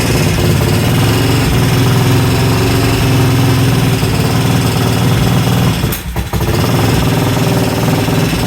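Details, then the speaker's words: 1968 Benelli 350 (Montgomery Wards Riverside) motorcycle, first start after 50 years in barn, carbs primed and idle adjusted: rapid fairly even popping with one brief dip then recovering; normal idle. "All right, so that was a lot of fun, right? So as you see, we got this motorcycle started. I'm super excited."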